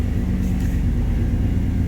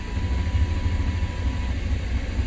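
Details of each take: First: 1993 Chevrolet C1500 pickup, 5.7L V8 (VIN K), OBD1, code 54 fuel pump relay/circuit fault: with the oil pressure switch hooked up, no fuel pump prime on key-on, yet it fires right up and settles into a steady, even low rumble; running normally. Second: 1993 Chevrolet C1500 5.7L with code 54 fuel pump relay/circuit fault: even cranking rumble, no pump hum, never starts.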